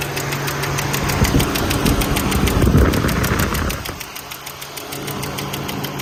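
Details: 2002 Toyota Highlander V6 AWD at idle: sharp light tick about three to four per second, steady; engine ticking, owner wonders if valve lash adjustment needed or exhaust tick, unconfirmed.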